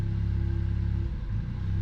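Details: Car that hiccups and jerks at idle, under load and hard acceleration: low idle rumble with an uneven, loping beat that stumbles and dips midway, like a cylinder dropping out; misfire at idle, cause not confirmed.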